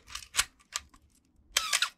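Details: Canon A-1 (A series) film camera: crisp clicks then shutter release ending in thin squeaky chirp, the "Canon cough"; dry mechanism gears, fixed with clock or gun oil.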